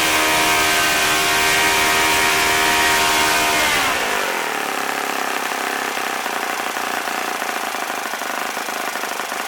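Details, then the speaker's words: OS FS-40 Surpass model four-stroke glow engine, first run after bearing replacement and cleaning, new Enya #3 plug, 11-6 prop at about 9,400–9,500 rpm: high, steady even-pitched buzzing wail; runs smooth once warmed up, decent idle. "it sounded good once it got warmed up and it had the decent idle to so it's a pretty nice little engine"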